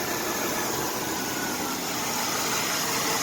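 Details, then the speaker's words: Dodge Dakota 4.7L after timing chain replacement; even, quiet idle without the previous noise; normal idle. "and what do you know no more noise it sounds good damn i'm good"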